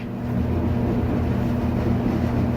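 Low, even rumble of the drum turning with a steady hum and no squeal, thump or scrape; the dryer is running normally.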